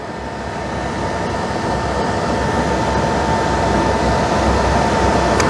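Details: Suburban propane furnace in a motorhome, running after being cleaned because it would not ignite: steady whooshing roar with a constant fan hum that builds slightly as it settles; the exhaust smells good, so it is lighting and burning properly.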